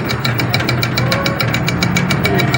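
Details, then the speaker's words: Electric bike hub motor powered from a new controller through its three phase wires, voltage showing on all three: rapid regular thumping, about seven jerks a second. It cogs instead of spinning; the winding was found burnt. "लेकिन ये मोटर झटके मार रही है। ये देखें, ये आवाज़ स्पीड भी इतनी है और ये झटके मार रही है।"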